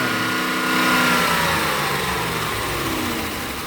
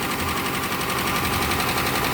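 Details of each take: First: Police Dodge Charger HEMI V8 after new updated lifters were fitted: it settles from a light rev back to a smooth, even idle. The top-end tick fades away as oil reaches the hydraulic lifters, and the engine now sounds normal. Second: Police Dodge Charger HEMI V8 at idle, after fitting new updated lifters: fast, light ticking at start-up that fades as the lifters fill with oil, expected gone within about five minutes.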